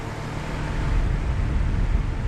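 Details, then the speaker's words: 2020 Bryant Preferred Series downstairs air conditioner on a 103°F day: only the steady whoosh of the outdoor fan with no compressor hum and a hot suction line; owner suspected a bad capacitor, which the tech then replaced. "downstairs Brian preferred is running without the compressor oh man I'm about to go turn it off"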